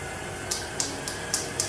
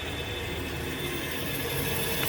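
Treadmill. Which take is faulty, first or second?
first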